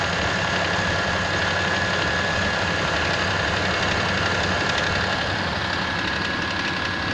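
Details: Mitsubishi Pajero 4 with 6G75 V6, cold idle with a light, uneven knock roughly four a second over the engine note; cold-start knock of unknown origin.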